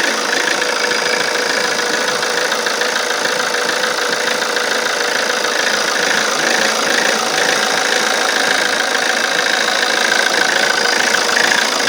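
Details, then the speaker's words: Alfa Romeo Giulietta 1.6 MultiJet2 diesel: diesel clatter at idle with a hunting, uneven beat and a shaky note, sometimes worse, with puffs of black exhaust smoke when it does this. Rough, unstable idle, cause not yet found. "And as you can hear, the idle is really bad. It gets worse than this, even."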